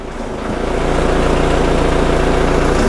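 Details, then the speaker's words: Opel Zafira GSI with rebuilt Z20LET engine and reground crankshaft, official first start: rough idle with a rapid low puttering chop, about 3.5 per second, from a big exhaust leak at the V-band joint; bottom-end knock gone. "it's a little bit unhappy and it's got a real big exhaust leak from that v-band hear that puttering away so we'll see what that is"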